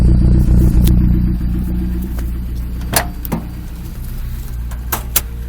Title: 22rte Rough Idle